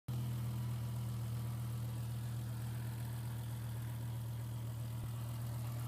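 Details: 2007 BMW M6 S85 V10 at idle: a deep steady drone with a faint constant whine over it, not the normal VANOS rattle.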